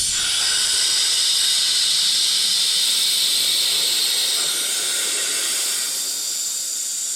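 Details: RIDGID 18V cordless air compressor (Gen5X brushless), tank drain valve (meant for moisture and water) opened. A steady high hiss of air rushing out, easing slightly as pressure drops; normal draining.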